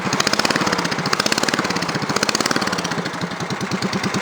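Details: Cub Cadet 3050 4WD: the small engine barks a sharp, raspy pulse at every firing, worse when revved though fine at idle; the muffler barely quiets it.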